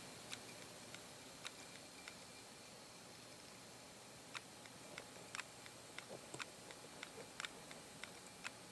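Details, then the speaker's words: Fourth-generation monochrome iPod: faint, sharp ticks repeating at irregular intervals, about thirty a minute, in a quiet room, suggesting a bad hard disk before it is swapped for a spare. "having some problems a lot of problems so it sounds like a bad hard dis"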